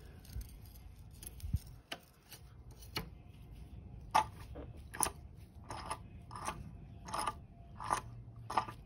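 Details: Mercedes W221 S63 AMG M156 engine: worn intake camshaft adjuster, rocked by hand, gives sharp metallic clicks about once a second; it bleeds oil when off and loses its lock, causing cold-start rattle, unlike the nearly tight exhaust adjuster.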